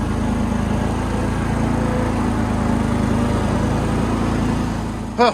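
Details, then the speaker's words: Yazoo-Kees zero-turn mower petrol engine started with choke and running on bad fuel: a steady, even drone at constant speed with no misses or knocks. It runs great despite the fuel. "this thing runs great and it's got terrible fuel in it"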